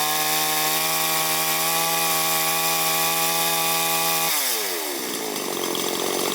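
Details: Chinese chainsaw after carburetor idle and high/low jet adjustment, air filter not yet fitted so slight readjustment needed later; holds a clean steady high buzz and drops smoothly to idle, running properly.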